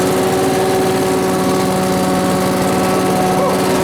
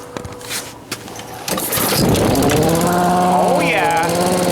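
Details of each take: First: Small two-stroke blower started indoors with fuel newly drawn in: revs up and holds a steady, clean buzz without sputtering; normal running. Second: Old blower engine, run outside on fresh regular gas after sitting with old gas: catches and runs, but its pitch slowly rises and falls every second or so; surging, owner suspects fuel starvation, says it always did this, cause unconfirmed.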